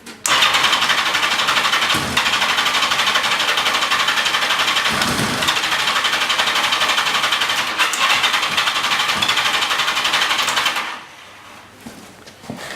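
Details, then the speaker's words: XJ650 engine with transmission fluid put in the cylinders to free a suspected sticky valve: long, steady cranking at about four beats per second with no catch, no spark from fluid-fouled plugs. No start from fluid-fouled spark plugs. "we plug the cowling up so I'm taking them out and clean the plugs make sure they're dry and then it started again"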